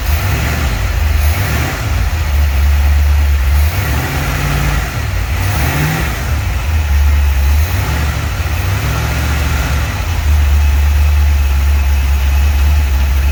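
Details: 1949 Chevy 3100 truck with newly installed V8 motor, first run in garage: smooth steady low idle rumble, clean rev blips rising and settling evenly; runs healthy, sounds good.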